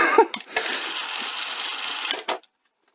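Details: Sony Betamax SL-F1 on first test after fitting new belts and refitting upper drum and old heads: steady whirring and rattling from the loading mechanism for about two seconds, then a clunk and sudden silence as it stalls mid-load.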